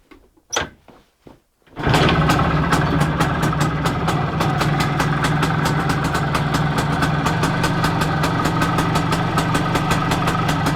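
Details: Planeta 4 two-stroke after repair, all Soviet parts in the engine. Kicks over, catches and settles into a steady, even crackling idle; runs as it should.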